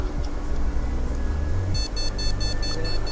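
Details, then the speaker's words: Gigabyte GA-H61M-S2PV motherboard with a no-display fault, powered on with RAM fitted: no RAM count, only a fast, continuous string of short POST beeps, about four a second, over background music. "RAM count নেই, বরঞ্চ beep দিচ্ছে এবং বিপটা কিন্তু continuous দিচ্ছে, beep normal না, বিপটা কিন্তু continuous দিচ্ছে।"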